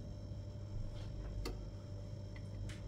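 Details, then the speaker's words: Karaca Coffee Art 1101 espresso machine on first use, preheating after switch-on while its lights blink before going steady. Soft, irregular ticks over a low hum, which is the normal sound of the machine heating up. "tık tık sesini duyuyor musunuz O Ses makinenin ısındığını gösteriyor"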